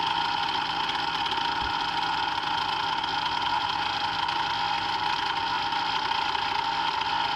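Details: Brand-new Hangkai 3.5 HP two-stroke outboard running on 30:1 premix, just started after priming and throttle opening, idling in neutral: steady, buzzy high-pitched drone at even speed with no misses or surges; normal running.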